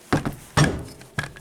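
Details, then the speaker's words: VAZ-2110 type alternator, bearing recently replaced but still whistling: three dull knocks with small rebounds as the new bearing's outer race spins loose in the alternator housing. "А наружная обоймы начинаются вертеться в корпусе. генератора."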